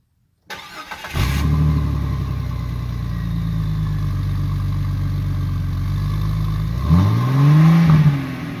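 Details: 2000 Jeep Cherokee XJ 4.0L straight-six with a new MBRP stainless cat-back exhaust: starts cleanly and settles to a smooth, deep, even idle, then a quick rev rises and falls with no rattles or puffing, so the exhaust sounds healthy.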